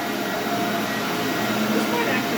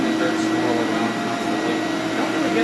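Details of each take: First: SC Johnson Vectron (Iona) vacuum, originally a commercial machine, first power-up after unboxing: steady even motor whir, constant pitch, no surging, Ametek-style Phantom sound; possibly original, possibly a universal motor, running normally. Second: SC Johnson Vectron (Iona) vacuum with roughly 20-year-old motor and beater-bar brush roll: steady roar with a thin wavering tone from the spinning brush roll; motor sounds good, owner suspects roller bearings, rebuildable.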